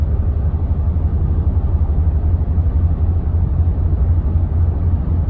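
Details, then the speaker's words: Car driving after the caliper heats up: a deep, uneven rumble and thump at about two pulses a second with vibration, worsening as it goes, from a sticking brake caliper pressing the pad too hard so it skips across the rotor. "That's just the brake pad making just putting too much pressure on the rotor, and it's just kind of skipping across the rotor."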